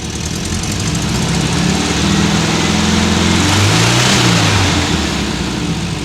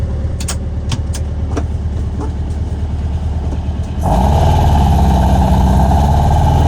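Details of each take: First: Warmed-up 1979 VW Super Beetle fuel-injected air-cooled engine idles then revs lightly with a raspy, puffing note; rusty original factory muffler with a couple of exhaust leaks, before stainless replacement. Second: Normal exhaust note from a new Vintage Speed stainless exhaust on a fuel-injected 1979 US-spec VW Super Beetle, mic clipped to rear bumper by muffler while driving: deep, even burble climbing through gears, dropping on shifts, no rasp, leak or rattle.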